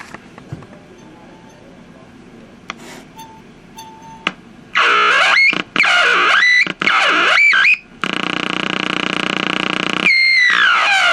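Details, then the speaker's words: Packard Bell 35 tube AM radio, after disconnecting a lead, confirming capacitor plates not shorting and removing an unschematic mica cap: harsh hiss bursts with shrill sliding whistles cutting in and out; still oscillating, cause unclear, IF alignment planned. "I removed the mica cap from there which is not shown on the schematic and it's acting pretty much the same it's pretty much a noisemaker"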